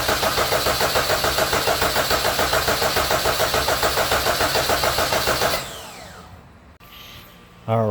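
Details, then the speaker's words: Rebuilt Honda K24 engine swapped into a CRX, cranked with spark plugs and coils installed but fuel injectors unplugged, coolant filled: steady, even cranking beat of about three and a half compression strokes per second, no odd knocks; compression sounds healthy and even. "right that sounded amazing compression sounds nice and even no weird noises"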